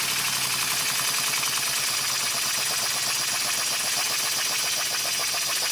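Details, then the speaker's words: Homemade DIY live steam boiler and engine running, pressure relief valve set to about 10 psi: hissy steam with uneven quick chuffs over a rough clatter. Irregular running; owner suspects the valve isn't seated, possibly a poorly fitting slide valve. "that noise leads me to believe that the valve isn't seated properly i don't know why but it's just a hunch that the valve isn't seated properly"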